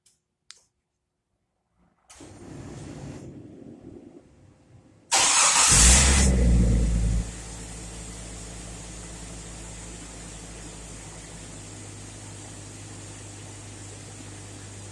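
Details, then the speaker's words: Stock 1999 Jeep Cherokee, remote-started right after a Compustar remote start install: a short crank, quick catch and rev flare, then a smooth, even idle; it starts and runs healthy. "Alright, so it cranked up perfectly."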